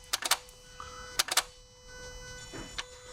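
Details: 2017 Toyota Yaris iA (Mazda-built) with intermittent stalling and no-start, code B10E7 Ignition 1 relay: quick clusters of two or three sharp clicks about a second apart over a faint electronic tone, relay chattering intermittently; cause suspected, not confirmed.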